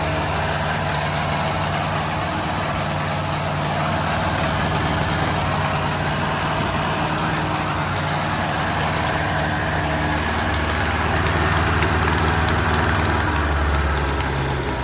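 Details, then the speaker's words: Ford Kent KSG416 engine from a Bobcat 632, first test run after repair of a soft seizure (new rings, honed cylinders, original pistons): fairly steady part-throttle run with a slightly uneven, lumpy beat and low drone, running a little rough, needs tuning. "It was running, let me turn this off. It was running a little bit rough, but not bad. Not bad for a first test run."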